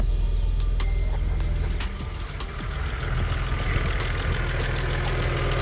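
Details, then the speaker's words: Stage 3 Audi Allroad that sat unused for about two years, idling after startup and coolant top-up; it quieted down soon after starting, giving a steady, even warm idle with smooth low rumble, no hiss, ticks or misses. "as soon as I started up it quieted down so just gonna let it run for a minute and adjust"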